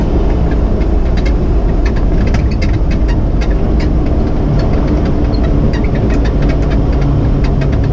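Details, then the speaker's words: Off-road 4x4 driving with a torn passenger-side front inner fender panel damaged while wheeling: rapid irregular metallic clacks and ticks over a steady engine drone. "so as you can see this noise has gotten pretty bad because of that so until I get home get it welded up I'm going to wedge this in between the inner vendor and that piece of metal that's broken"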